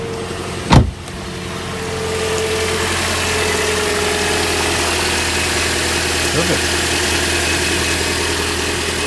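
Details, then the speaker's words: 2010 Toyota Corolla S, 2ZR-FE engine, started right after a spark plug change: one thump, then a smooth, quiet, even idle with no stumbles, ticking or misfire; normal. "If you don't hear any misfires or anything, or any strange noises, then you're good to go."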